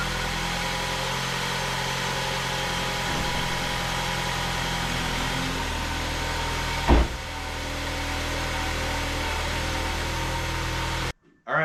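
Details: 2018 Ford Focus 2.0L at its first start after a water pump replacement and coolant refill. It settles into a steady, even idle hum with one brief thump and no misses or knocks. The real overheating-at-idle cause was a blown mega fuse that stopped the radiator fan.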